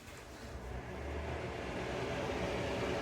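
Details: Newly installed Broan Flex AE80LK bathroom fan, replacing a 25-year-old Broan Nutone, is louder than expected: a steady rushing whoosh with a low hum. Air was escaping where the blower meets the exhaust, and that spot was taped.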